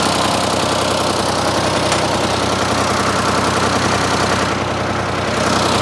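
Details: Ford 4000 3-cylinder diesel tractor after replacing the bad front injector: steady, even idle clatter with no skipped beats, all three cylinders now firing; normal idle.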